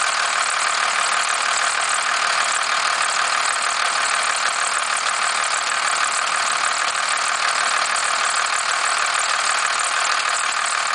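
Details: 1991.5 first-gen Cummins 12-valve diesel at cold start around -10, idling with steady clatter, some squealing, and a faint repeating knock/rattle whose source the owner cannot pinpoint; unidentified knock at idle.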